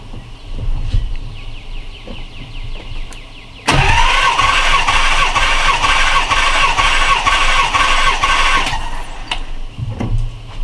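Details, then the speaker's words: 1990 Nissan 300ZX, not starting, cranked during compression test with all spark plugs out and coils disconnected, strong battery: fast, even whirring crank with steady starter whine and no compression pulses, sounding like a weak battery. "It's gonna sound like this has a weak battery, but it has a strong battery. It's only sounding like that because there are no spark plugs"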